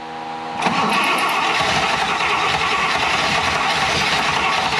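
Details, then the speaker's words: 1960 Buick LeSabre, 364ci nailhead with rebuilt unadjusted carburetor: starter turns sluggishly with uneven chug, never catches; owner wants more cranking power and carburetor fill/tuning, after which it idled. "come on ah got to have some more power get this thing turn a little faster"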